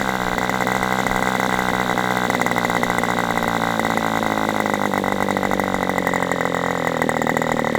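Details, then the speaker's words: Aviastar 46 ABC glow engine, testing two carbs on a chilly, breezy 61°F day: a high buzzing idle sags and wanders over several seconds. Owner suspects slightly rich running and plans to lean it. Top end is good with this carb. "Okay. So, that leads me to believe it might be just a hair rich. So, let's lean this out just a little bit and see if I can at least get a a more stable idle."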